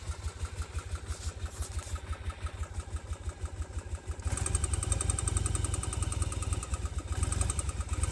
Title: virago 750 engine knock